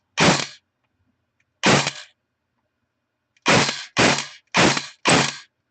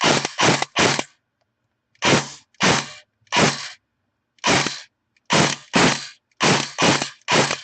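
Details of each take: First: Airsoft AEG after bearing failure and stripped gear set repair, motor height adjusted after backing off from too deep: six crisp, clean shots in short single bursts, no motor whine between them, gearbox cycling properly. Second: Airsoft AEG after bearing failure and stripped gear set repair, motor height screwed in too far during adjustment, semi-auto test: sharp rapid clacking shots with a strained whine; motor binding, backed off a quarter turn.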